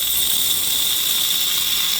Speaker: Y'all hear that? That is my AC dye being sucked in.